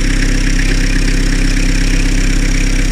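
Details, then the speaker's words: Diesel car rebuilt 2-3 years ago after overheating (pistons and cylinder head replaced), after a new drive belt: even, steady idle with a smooth low rhythm and no chirp or squeak; the belt noise is gone. "Bakın ses, o şıkırdama sesi falan vesaire hiçbir şey yok."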